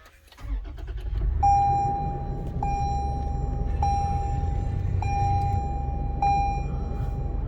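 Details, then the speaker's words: 2021 Toyota 4Runner SR5 start-up recorded on a phone from inside: a short crank, then the engine catches into a deep, growly, steady idle under a cabin chime, a normal clean start. "i don't know if you guys can hear that but the engine is definitely like it growls when you when you first start it"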